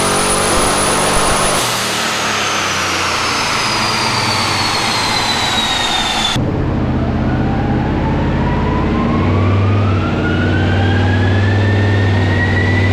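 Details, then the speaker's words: Twin-turbo Pontiac LeMans on a chassis dyno (eBay turbos, BTR stage 2 cam), boost dropped toward 10 psi: engine climbs hard with rising whine, then pull cuts and restarts; breaking up under boost every run, suspected blown-out spark. "Still breaking up, but we lost our belt. Every run's doing the same thing and we can hear it."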